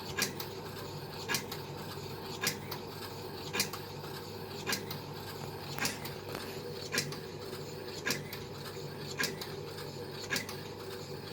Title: Beko strange noise